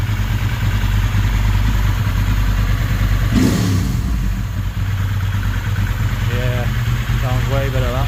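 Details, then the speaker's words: Ducati 916 V-twin idling after replacing leaking fuel-pump quick-connector O-rings, with slight tuning; the front cylinder is suspected slightly out of tune and balance is still to be vacuum-gauge checked. Even, lumpy idle with a deep steady beat that holds speed; it runs better than expected. "this bike actually runs better than I have expected it did with slight little bit of tuning up there and it runs like a dream"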